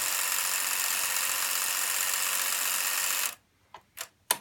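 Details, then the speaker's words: Sony SL-F3 Betamax deck from a junk bin, running with its serrated rubber drive belts removed: loud even whirring hiss for three seconds, then cut-off and sharp clicks; transport mechanism unusually noisy. "なにこんなうるさいのこの音が。"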